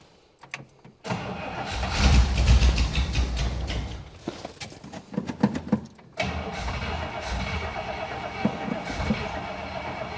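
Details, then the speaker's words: 1961 Buick Electra 225 401 Nailhead V8, idle screw turned up a half turn and fuel pump on: it cranks, sputters, stumbles, restarts into an uneven wavering idle; hard starting and rough running, needs tune-up, plugs, wires and carb rebuild. "You know what, guys? The car needs a tune-up. It needs a carburetor rebuild."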